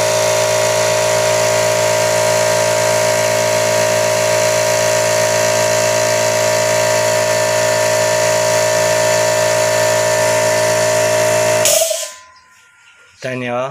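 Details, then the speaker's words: Air compressor, 2 hp, about 25 L tank, bought 2017, after repair (reed/flapper valves and one-way valve replaced for failure to build pressure): even rapid pumping hum for about twelve seconds, then stops cleanly as pressure switch cuts out automatically; normal run and cut-off. "na di ba nag-build up na siya Tapos humihinto na ng automatic so Naayos na siya"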